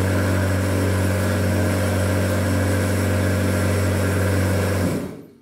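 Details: Wie-Jie WJ-30P thread cone winding machine, new unit, running with thread on both cones pressing the sensors: constant low motor hum with a light, even whir for about five seconds, then winds down to a stop; runs normally.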